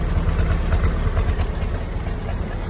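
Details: Willys L134 four-cylinder flathead Jeep after a head gasket replacement and a 4–5 mile drive: low, steady idle with an even, soft exhaust pulse and no misses or knocks; runs clean and healthy.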